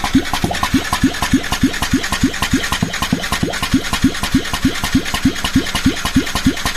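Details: Yamaha Tricity 125 (SEC1J) scooter, steady starter cranking about three beats a second with weak even puffs, no firing; heavy blow-by, piston and cylinder found badly worn, insufficient compression so engine won't start.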